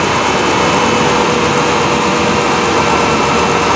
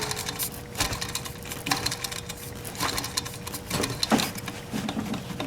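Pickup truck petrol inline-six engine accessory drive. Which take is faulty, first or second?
second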